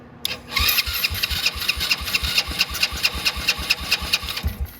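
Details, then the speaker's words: Motorcycle not started in a long time, battery removed, run on a jump pack with an empty fuel filter and no gas: uneven cranking chugs with sharp ticking, briefly firing on sprayed starting fluid, showing the engine itself works. "oh tried and that all that is is the Quick Start you can literally see the fuel filter is right here and it's completely empty that is just the the the spray starting it so it started all on its spray so I know the engine nothing wrong with that it's working [Music] good and it runs right out"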